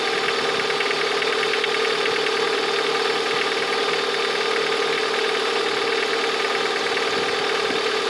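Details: Engine 21126 idling with a light, uneven tapping knock of about two to three per second, clearest toward the end; the source of the knock is unknown.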